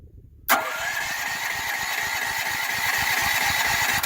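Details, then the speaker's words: Firman T07571 generator on ethanol-free fuel, run shortly before so owner expected no choke needed: about three and a half seconds of rhythmic cranking chuff that never catches; still wants a little choke to start. "still wants it a little bit. So the choke is over here."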